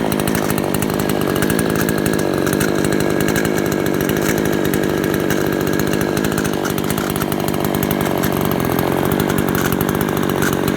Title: rattling noise